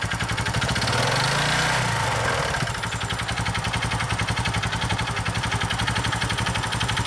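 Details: Honda Innova ANF125i at 80,000 km: small single idles with fast, slightly uneven ticking over the exhaust beat after a blip. No power loss or smoke, oil use 0.2 L/1000 km, valve clearance 0.1 mm; the engine noise is unexplained.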